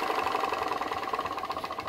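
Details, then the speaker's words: PM Research glass Stirling engine (Solar Engine #7) driving a model Baker fan: quick light mechanical pulsing with thin whirring, steady and unhurried, working slowly under load; sounds like an engine under load, normal running. "it's working to turn that baker fan sounds great sounds like an engine under load working and um i reckon that's pretty cool for a sterling engine"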